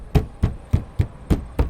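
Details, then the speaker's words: Fist tap test on the sidewall of a 2001 Marathon Prevost XL2 motorcoach: seven firm dull thumps about three a second with solid low tone and no rattle; this panel sounds well bonded, unlike delaminated ones. "And while this one sounds pretty good,"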